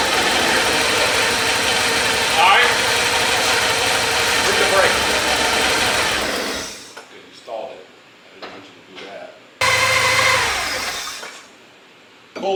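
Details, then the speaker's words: 1984 Porsche 944 revived after years sitting in a field: busy, even idle runs steadily for several seconds with no knocks or misses, then the engine cuts out; sounds healthy, though the cooling fans aren't coming on. "AC yeah well runs that's the important part sounds good"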